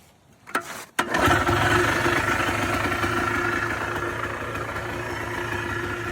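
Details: Polaris Trail Boss 250 4x4 ATV, exhaust still cold, fuel on reserve; fires after a couple of pulls into a steady but uneven buzzing idle that sags slightly; rough cold idle, cause not confirmed.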